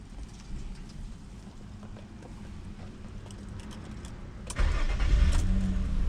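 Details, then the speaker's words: Nissan Maxima 3.0L V6 (VQ30DE) restarted right after shutdown without sitting: barely a second of cranking, catches at once and settles to steady idle; normal quick start, contrasting the extended crank after sitting. "that little bump was the crank time and then it started right away"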